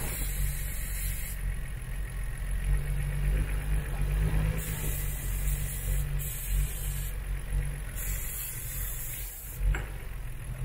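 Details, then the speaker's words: Nissan Skyline GTR RB26DETT (MAP sensor, no MAF) at idle, stalls when hot: idle stumbles and nearly stalls each time cleaner is sprayed at the throttle body-to-head joint; vacuum leak at that gasket, intake manifold to be resealed. "basically what I found was this was if you spray some of this car cleaner see how it wants to stall out"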